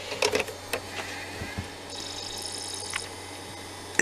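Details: Original Xbox DVD drive after the bent spindle was straightened, which had been making the disc rub loudly: a few light clicks, a soft rising whine as the disc spins up, then a faint steady hum with no rubbing.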